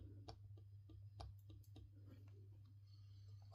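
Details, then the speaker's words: TSR F1-200 V2 RC car chassis, rear axle turned by hand: light, sharp ticks about three times a second. The axle shaft is bent with a slight twist and no longer runs freely. "And that's probably the reason why I don't have a nice free running axle shaft anymore. It's probably because it's got a little bit of a twist in it."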